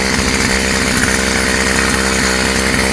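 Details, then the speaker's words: Stihl FS55 trimmer after a new carb kit, on choke and running without the air cleaner: small two-stroke buzzes at a steady, even idle with no surging or stumbling; idling smoothly and healthy. "See how it runs without the air cleaner. Not bad. Sounds good. Idling at a decent idle or RPM."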